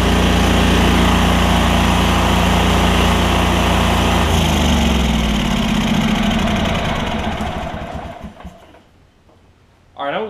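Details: Lincoln Ranger 8 welder generator, Kohler CH20 V-twin after fuel pump, fuel line replacement and carb clean, air cleaner off: fires and runs with an even steady beat about three per second, then winds down smoothly; normal running.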